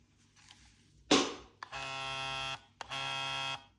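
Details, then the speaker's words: Xbox Elite Series 2 controller on Series X, bought new, used a few months; trigger rumble test gives two short buzzing bursts with harsh tinny plasticky rattle, left and right main motors feel different. "So if we head over to the settings and decide to vibrate this controller, you can hear that annoying plasticky sound."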